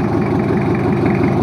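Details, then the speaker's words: Toyota Kijang 2L diesel, just started after an engine overhaul for low compression and abnormal noise: smooth, even idle with soft steady clatter, no knocking, misfire or rattles; oil pressure normal, no smoke, healthy. "udah hidup jalur untuk mesin2 airnya langsung segeng dan suaranya pun halus"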